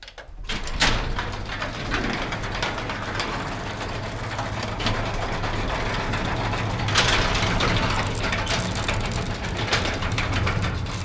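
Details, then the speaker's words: Garage door with belt-drive opener clatters and rattles loudly the whole way up over a steady motor hum; worn, loose old metal rollers and bearings, fixed with sealed-bearing nylon rollers. "really the door itself is insanely loud and there's a bedroom directly above and when somebody leaves early in the morning like five six o'clock in the morning wakes other people up"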